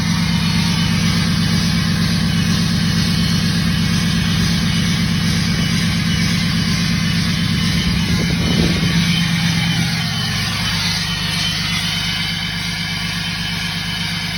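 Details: 2017 Ram 6.7 Cummins diesel, tuned and deleted, at high idle: thin whistle over diesel clatter, then revs fall off; normal turbo spool whistle.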